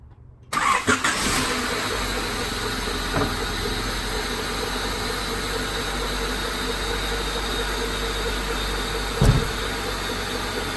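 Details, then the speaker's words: 1995 Honda Civic Si hatchback after swapping solid eBay racing lower motor mounts back to the original OEM mounts: it catches after a short crank and settles into a quiet, even idle with no vibration, shake, rattle or knock. "also a lot quieter you know I'm not hearing the - you know vibrating or anything like that so it's just quiet as can be"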